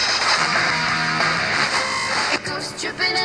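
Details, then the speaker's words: FM tuner after cleaning oxidized tuning condenser contacts with DeoxIT D5, before RF realignment: station music plays clearly and steadily with no crackle or dropouts, now tunable. "so you can see the difference now that we've cleaned it up we haven't done the full alignment yet but that at least makes it tunable"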